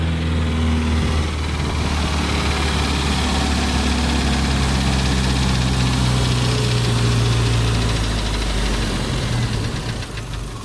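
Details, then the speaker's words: 1988 Jeep Comanche 2.5L Renix I4 during idle speed motor adjustment, started with no throttle: steady loud hum, no hunting, idle around 3,000 rpm, too high; ECU reset planned — high idle speed. "Idle's a little high. It's probably not used to this."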